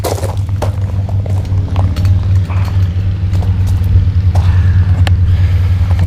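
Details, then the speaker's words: Fresh Breeze Monster paramotor two-stroke, just back from repairs, after choke turned off, rolling up and down the drive at moderate throttle: steady, even low drone with no misses or stumbles, good thrust; normal running. "so she sounded pretty decent, right? Going up and down the drive, I couldn't really hold the throttle on."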